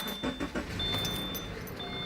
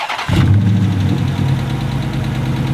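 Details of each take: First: Subaru boxer engine, 146,000 miles, starting: a few sharp clicks then steady, slightly busy idle, normal for a relatively noisy boxer engine. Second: Used engine at idle after start: fast steady clacking over an uneven beat, louder at the front than the back; at minimum hydraulic lifter problems, with a misfire.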